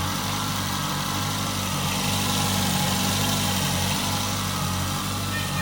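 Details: Nissan Altima with a cracked exhaust manifold (exhaust-leak repair): an even, unbroken idle hum with no puffing or ticking at the manifold, so the exhaust sounds sealed and smooth.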